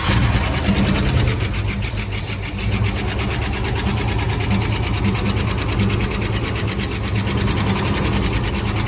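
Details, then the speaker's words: 1970 Ford Bronco on its first start in 8 years, after it struggled to pick up gas from the tank: steady V8 idle with a light, quick tick that keeps pace with engine speed; the tick's source is unknown. "Sounds pretty good. Hear a little bit of ticking."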